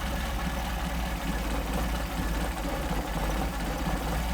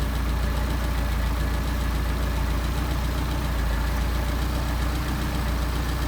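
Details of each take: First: How about that? 400 RPM idle. That's all due to the machine work that these guys are doing for me. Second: Engine on a 44 PHH Solex carburettor, idle raised to about 750 rpm, idle mixture screw being turned to find the stumble points and set the midpoint: uneven, loping idle that dips and stumbles now and then, running too rich.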